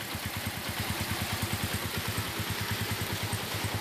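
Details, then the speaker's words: Suzuki Shogun 125 RR (Shogun Robot) after major service: starts easily, even steady idle with low thump about three beats a second, no clatter or misses, lights steady; normal idle, piston noise only under throttle. "isanya ya hidup langsung enak ya langsung udah enak tuh lampunya nggak kedip-kedip langsung udah enak suara langsung juga halus"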